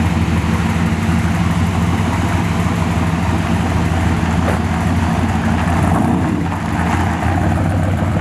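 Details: 1969 Chevy C10 454 big-block with newly swapped 1000 hp-rated TH400, driving: deep loud steady rumble, no clunks, slipping flare or whine; engine and new automatic pulling smoothly, converter flashes to about 4500 rpm.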